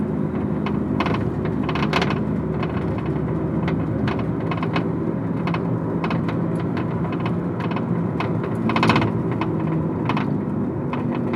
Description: Need help identifying this weird rattling sound in the rear area of a 2002 Honda Accord EX